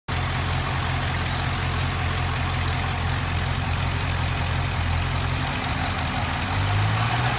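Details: LS7 V8 revving to 1600 rpm at about 175°F oil temperature: a light, quick ticking over the deep, steady rumble; cause unknown.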